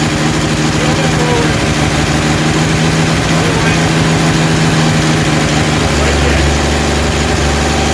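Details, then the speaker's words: Rebuilt 230 six-cylinder breaking in the cam at about 2000 rpm, timing now about 10° advance, 40 psi oil, 180° temp, no smoke; loud even high-idle drone, no tapping; normal cam break-in run. "all right we we're breaking in the cam right now it's running really good sounds good"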